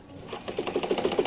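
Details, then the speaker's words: Probably early-1960s Japanese-made Calanda sewing machine built for Pfaff stores, high shank, left needle, manual zigzag, sewing a wide zigzag: quick, even ticking about seven or eight stitches a second over a steady light whir; normal healthy zigzag stitching. "So the zigzag on this one, check this out, is up here, big wide thing. Make sure your needle's out of your fabric. You can be zigzag just for a minute, kind of like that."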